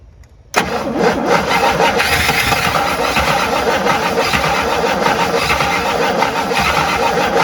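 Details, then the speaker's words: Abandoned 1958 Buick Super engine cranking about three beats a second without catching; fuel pump not pulling fuel even when primed by hand, owner suspects a dead pump and plans to replace it. "i wouldn't be surprised if this pump was dead whatever uh advanced ah no fuel"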